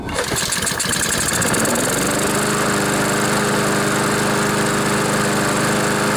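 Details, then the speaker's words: Honda GCV mower engine that was tipped over, oil in air filter and muffler, smoking, with choke on: catches after a second or two, settles into a steady even buzz with no stumbling; runs normally. "so so it runs runs pretty good too"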